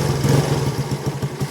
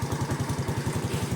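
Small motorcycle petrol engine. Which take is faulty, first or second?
first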